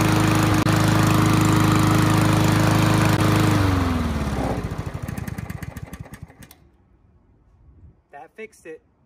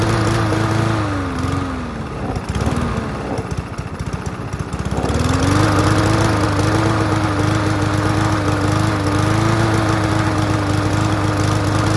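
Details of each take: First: Push mower after reseating a loose, rattling spark plug wire that caused intermittent spark: a steady, even engine note holds firm, then winds down smoothly to a stop when shut off, running cleanly with no misfire. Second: Free push mower after carb cleaning: runs, then sags and stumbles before picking back up; intermittent spark because the spark plug lead was loose and barely contacting, fixed by pushing it back on.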